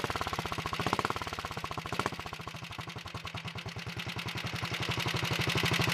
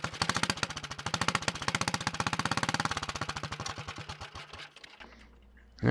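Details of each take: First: Early 1961 Wheel Horse model 401 garden tractor single-cylinder engine at first start-up, no choke, throttle near wide open, possibly flooded earlier: even, steady beat picking up smoothly with throttle, no misses or knocks; runs properly, smokes slightly on gas. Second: Early 1961 Wheel Horse model 401 lawn tractor single-cylinder engine at first run after restoration work: loud sharp popping beats slowing as it runs down, raw bark from a blown-out muffler.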